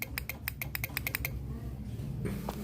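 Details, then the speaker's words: Yamaha X-Ride scooter won't start despite brake lever pulled and a good battery with a loud horn: about ten sharp clicks in one second with no cranking; fault suspected in the starter switch or starter motor. "Meskipun handle rem-nya telah ditekan, ini enggak nyala sama sekali ya. Hanya bunyi cetak-cetek saja ya, Teman."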